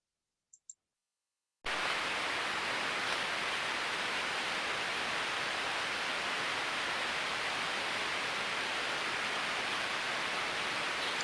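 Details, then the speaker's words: Ultrasound on a healthy slow-speed bearing: smooth, uniform white-noise hiss with no clicks, crackle or impacts; just what is wanted. "smooth uniform white noise that's just what we want to hear"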